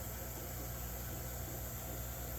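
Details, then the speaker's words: Pawfly fishroom air pump on high, set back on its rubber feet (it vibrated and walked when placed upside down): steady low hum with a soft airy hiss; the pump itself is quiet, and the only noise comes from its four air valves. "you don't hear a noise from the pump itself the only noise that we hear is just from those valve here"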